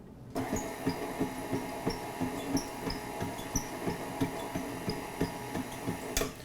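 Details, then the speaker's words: KitchenAid 5-quart tilt-head Design Series mixer with an empty glass bowl: an even motor hum with a light repeating squeak as the beater sweeps the glass. This is normal bowl squeak, which stops with ingredients in the bowl. "here is the design series it squeaks a lot because it's a glass ball it doesn't squeak like that when you have ingredients in here"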